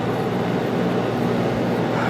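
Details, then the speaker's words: 1995 Starcraft Stardust popup camper rooftop AC, 220 plug run on 110 house power, hot day without curtains: steady even fan and compressor roar, no rattles or surging; running hard under heavy load but healthy, after faulty breaker tripped. "i think the issue we had is we had it was running hard and we didn't have our curtains up helping keep some of the heat out so oh that didn't help any making it run even harder and she's blowing pretty good so"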